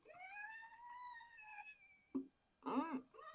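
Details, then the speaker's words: 2017 Renault Megane 1.6 dCi, car bounced by hand with microphone at the rear shock: high, wavering rubbery squeal rising and falling with each stroke; worn rear shock absorber squeak, fixed by replacing rear shocks. "listen and that's the fault with this car that's why we've replaced these that's the rear shock absorbers replaced on this 2017 Rena McAn pretty straightforward task really"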